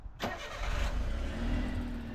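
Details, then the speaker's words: Autozam AZ-1 first start after the clogged exhaust was cleared and the spark plugs were checked and refitted: quick crank, catches at once, smooth even low idle with no miss; healthy start. "it sounds like a car that sounds nice it sounds like a car I haven't heard it like that in a long time it's so quiet compared to mine"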